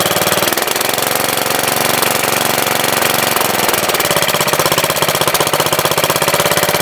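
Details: MTD Wizard lawn tractor small single after spark plug change, outdoors with rain coming: steady, even putter at fast idle, no misses or knocks; engine runs really good, owner suspects clutch or transaxle problem, front and speed shifters loose.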